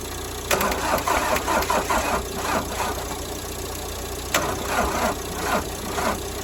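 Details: 1990s Ford Transit Mk5 2.5 DI turbo diesel, first start after years sitting abandoned; clatters and catches in uneven bursts, surging then sagging without settling to steady idle; hard start, struggling to keep running.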